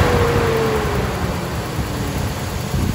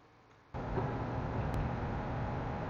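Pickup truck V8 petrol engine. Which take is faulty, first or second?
first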